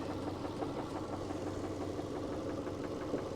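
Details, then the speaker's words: 2002 Subaru Impreza Outback Sport, a used project car: the idle is uneven, with irregular pulses. Something is leaking and burning, and the owner suspects the power steering has failed. Rough running. "If I give it a yoink, seems a bit rough and... Something's leaking. Oh no. Something's leaking and something's burning."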